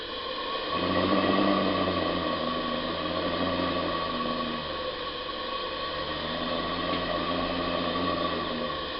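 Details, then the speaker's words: Pendle Steam Boilers 28mm gas boiler burner, inside the flue and just lit and turned up, boiler completely cold (3 degrees, 0 psi, water about a third full): soft steady roar with a faint even hiss, no popping. Normal, quiet burner operation. "You hear a little bit of noise, but believe me, that is silent compared to most."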